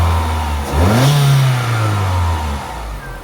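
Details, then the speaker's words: Vauxhall/Opel Astra F (MK3) GLS saloon with a 1.6 16V engine at about 80,000 miles, given a free rev by pedal: climbs quickly from idle and settles smoothly with no stumble or knock. Owner praises the throttle response. Healthy revving. "sweetheart and this thing absolutely flies it must be light as a feather honestly it the throttle response is absolutely awesome"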